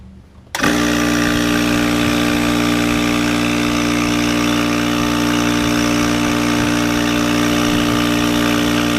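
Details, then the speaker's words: Craftsman 30-gallon air compressor after seal rebuild with kit K-0648, previously leaking badly through the intake: steady motor hum, even pumping beat about 220 per minute, no knocks or hiss, now holding 125 psi. "all right so it works it's holding 125 psi"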